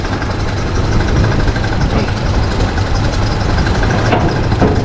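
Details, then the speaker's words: Holden VL non-turbo six-cylinder with nearly 300,000 km, rough uneven idle with a lumpy beat that skips now and then; misfire, suspected dead cylinder with lost compression. "this car done nearly 300 000k you can hear the sound misfire"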